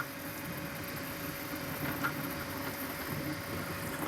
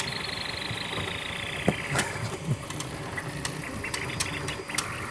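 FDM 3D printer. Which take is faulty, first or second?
second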